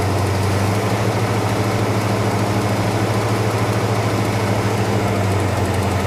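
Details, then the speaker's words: 1971 Dodge Sweptline big-block V8 that was flooding with fuel (unvented tank pressure, misadjusted float): deep, slightly uneven lope steadying as it clears out, with heavy blue, oil-smelling smoke from the passenger-side bank. "Sounds like she's cleaning up a little bit. An awful lot of smoke off of that passenger side bank."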